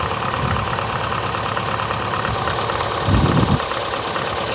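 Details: VAZ 2115 8-valve, cold idle: uneven, stumbling misfire with an irregular knock shaking the engine. Began after cylinder-1 head gasket blew a week ago and antifreeze and 5W40 oil were changed. Check-engine light on; owner suspects worn valves, unconfirmed.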